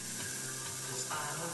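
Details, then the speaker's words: Zenith 25MC36 CRT TV with a solid-state high-voltage rectifier substituted and the HV regulator tube replaced: a dense crackling hiss as the high voltage climbs from a 35 kV setting to about 38 kV, an HV regulation problem. "it'd go right up to 38 kilovolts. You can hear the hissing there."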